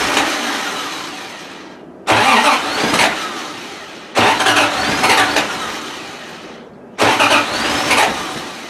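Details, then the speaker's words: Triumph TR6 petrol engine cranked after long winter storage, fuel pump primed with the priming lever to refill the carb bowls: three short cranking bursts a couple of seconds apart, each firing briefly then fading; normal cold start. "all right good old tr6 hop it here runnin again"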